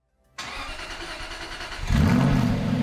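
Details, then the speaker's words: Aston Martin V8 Vantage with a new starter motor: quick, even cranking that turns the engine faster than the old heat-worn starter, still about 15 compressions, then it catches and settles to a firm idle. The delayed start was caused by the starter, not the fuel system. "So now you can see that that new starter motor is turning over the engine a lot faster, but crucially it's still taking those 15 compressions."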